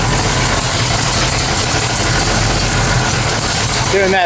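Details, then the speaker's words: 1979 AMC AMX, AMC 304 V8, headers freshly wrapped: loud steady idle, even exhaust beat, no header ticking, 70 psi oil pressure; header leak fixed, healthy idle. "i don't hear any more ticking that's a good sign 70 pounds oil pressure that's a good sign i think we've done a thing"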